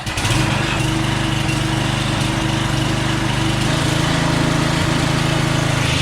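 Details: Craftsman walk-behind string trimmer small engine, after repair: holds a steady, even buzz at constant speed with no surging or hunting; normal running.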